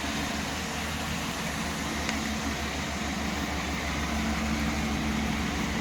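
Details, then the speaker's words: Chevy 350 V8 after a tune-up with new spark plugs, distributor cap and rotor: steady low rumble with an even pulse near three per second, no misses or stumbles. Smooth idle. "We got all the spark plugs back in. Now we're just gonna start it up. Should idle a lot smoother than it used to."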